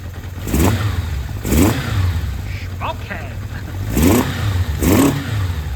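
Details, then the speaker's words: Kawasaki Zephyr 750, cold, after carb rebuild and replacing the coil for the dead cylinder 2, smoking: four cylinders blip cleanly several times and fall back without stumbling; all firing evenly again. "Does that sound like 4 cylinders? It does, doesn't it? She's a runner."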